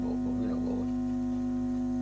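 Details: Fidelity Playtime tape recorder with BSR deck, tested during repair: loud, steady low buzz that never wavers and drowns everything else; mains hum leaking into the preamp stage ahead of the volume control.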